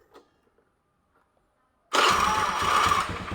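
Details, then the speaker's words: Honda Beat carburetor scooter after starter service (cleaned, sanded commutator): near silence, one short starter whir, engine catches at once into steady idle; healthy quick electric start, charging and starter bendix good. "Woi mantap Lur sekali starter dikit langsung nyamber"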